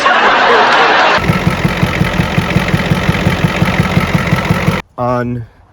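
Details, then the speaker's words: 1986 Ford F350 6.9 IDI diesel after a defective battery was found: cranks briefly, fires immediately and settles into a steady, even diesel clatter at idle; normal healthy diesel idle. "Just like that, after one defective battery, you're gonna run a key engine. It fires immediately. Well, what do you know? It works."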